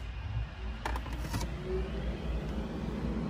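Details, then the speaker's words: Porsche Boxster 986 engine fan 1 commanded on via the Durametric diagnostic tool's activation test: a steady, low whooshing hum with no ticking, rubbing or wobble, then winds down when stopped; the fan runs normally. "I'm a few guys can hear that but the engine fan just turned on so that is pretty cool and let me stop it now and it just wound down and stopped"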